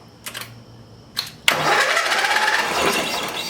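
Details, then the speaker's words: Craftsman riding mower left outside over a year and rusted, cranked in neutral with seat switch bypassed and fuel solenoid clicking on: a couple of clicks, then the starter churns without catching; spark confirmed, cranks but no start. "so let's see if we if it will crank and we have sparks"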